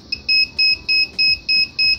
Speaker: but if he switched on we hear the buzzer beeping reminding us that the connection is broken right now